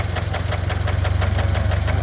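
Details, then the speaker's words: Engine starts fine but knocks once at operating temperature, previously masked by thick oil: sharp evenly spaced knocks about eight a second over a heavy idle; Lucas heavy-duty oil stabilizer did not fix it. "It starts up fine, and when it heats up, it starts knocking."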